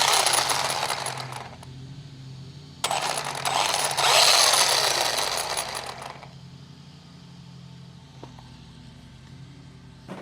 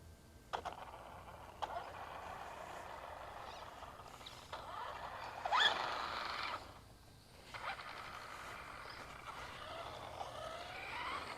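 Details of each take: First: Traxxas Rustler 4x4 RC car with the transmission cover off after clutch assembly repair: motor whirs in bursts with a scraping, rattly chatter; owner suspects the grub screw rubbing the spur gear, unconfirmed. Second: Traxxas Rustler 4x4 RC truck driven outside after its stripped spur gear was replaced: short bursts of smooth electric whir with no grinding or clicking. The drivetrain sounds normal.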